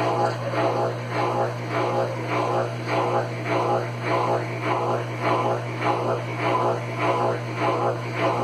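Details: Consul Facilite CWC10 washer that would not power on, fixed by replacing the power board: steady low motor hum with an even swishing pulse about 100 times a minute as the drum spins. It runs smoothly, a healthy spin.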